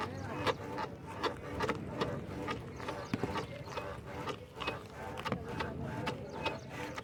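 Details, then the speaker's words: Ola S1X electric scooter front suspension being pushed down: squeaky, whistling chirp with each compression, roughly twice a second; front suspension squeaks when compressed, sometimes only slightly, cause not confirmed. "यह देखिए अलग ही आवाज आ रही है बिल्कुल ही सीटी की सी तो थोड़ी बहुत ऐसे कभी-कभी आती है"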